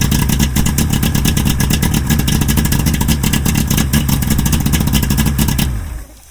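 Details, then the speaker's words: 1997 Evinrude Ocean Pro 90 HP 60° two-stroke outboard on diagnostic key switch with boat harness unplugged: catches straight away, steady even rattle at fast idle, shuts off cleanly; motor fine, fault in boat harness/key switch or man-overboard bypass. "so yep nothing wrong with the motor something wrong with the harness in the boat"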